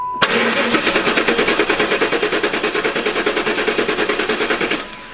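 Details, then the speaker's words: 4th-gen Pontiac Trans Am LT1, compression test while cranking with the fuel pump relay unplugged, checking for the cause of a misfire and stalling: even, strong starter cranking. Cylinder 3 reads about 162-167 psi. Normal compression. "About 167 or so on that one. Yeah, about 162 on that one, so we'll call it 165."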